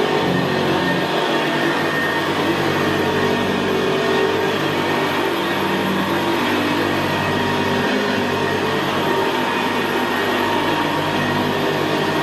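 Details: 1975 Hoover Senior Ranger U4002 vintage upright vacuum on carpet: constant, quiet motor hum with a rough gravelly brushroll growl, more noticeable where carpet is squashed down; typical of the Ranger. Normal running.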